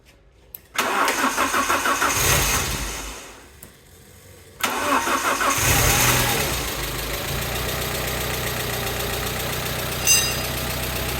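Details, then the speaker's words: GTV after accident repair, cam belt and service just done, having sat a long time: cold start, stall, restart, then idle with light fast ticking from oil-drained hydraulic lifters, expected to quieten when warm; variator now quieter. "the tapping you can hear is the hydraulic lifters because they're going to be drrive of oil after not being used for so long so it should quieten down one the engine's warmed up"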